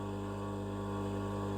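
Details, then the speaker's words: Continuous-rated electric motor for a homemade stone tumbler, no load, not yet rubber-mounted: quiet steady constant hum, no grinding or rattles; running smoothly unloaded. "And it's rated at continuous, so it can be run 24/7, month in, month out. That's a lovely little motor, ever so quiet."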